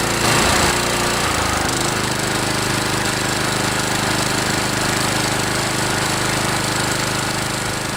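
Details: DR Trimmer TR-1 with Kawasaki FC150V 6.75 hp engine, after carburetor cleaning (plugged main jet, float needle) following long storage: warmed up and revved, small engine buzzes fast and steady with no misses or surging; running healthy.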